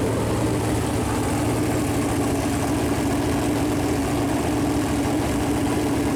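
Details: Chevrolet Performance 454 big-block V8, fresh engine build on a run-in stand, first fire-up with header paint burning off: deep, steady, even low-rumble idle with no ticking or knocking; temperature around 190, oil pressure good; normal idle.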